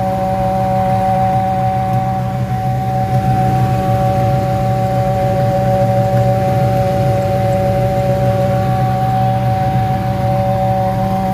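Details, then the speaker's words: 1989 Ford Mustang GT, left in storage for years, engine running and misfiring: steady mid-pitched hum riding over it, constant and unchanging; the alternator is humming and vibrating as if its bearing is locked up, and it is not charging. "the alternator is what's making that loud humming vibrating noise it's terrible it sounds like a barend is locked up"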